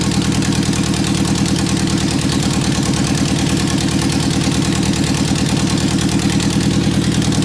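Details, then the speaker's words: 1991 Eagle Talon TSI AWD at its first startup after a new fuel pump: loud, raspy engine from an open header holding a fast, steady beat with no misses; running clean. "that's the first startup first time it's ever been running I'm really happy"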